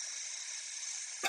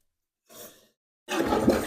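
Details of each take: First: Toilet tank fill valve won't shut off: constant high hiss of water still flowing after the float rises to the top of a full tank. Owner suspects the fill valve is bad; it needs replacing. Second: Toilet after fill valve replacement (old valve would not shut off, hissed): rushing flush gives way to a steady refill surge with no hiss or trickle left behind; clean flush and refill.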